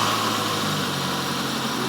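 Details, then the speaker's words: Warm four-cylinder car idling normally during a vacuum leak demonstration: steady, even idle with a low hum, all four cylinders working, no misses, knocks or hiss. "sounds normal all four cylinders are working it's actually warm i let it runny"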